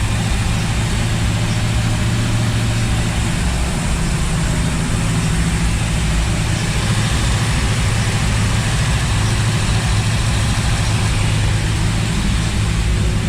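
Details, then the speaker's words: 1955 Chevy small block V8 just rebuilt with stock parts, during cam break-in, with a 180 thermostat, fuel pressure at 6 psi and slight black smoke (running rich). A deep, steady idle burble with no knock. "You know what's pretty awesome? There's no knock. Amazing when you take all your high performance shit off and put on stock stuff actually works together."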